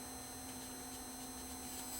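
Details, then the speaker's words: USB cassette capture player with no tape in it: steady faint hiss with thin high whistles from its internal amplifiers; noisy amplifier. "as you can see there is some noise just from the amplifiers in this thing even if there's no tape in it the amplifiers himself are"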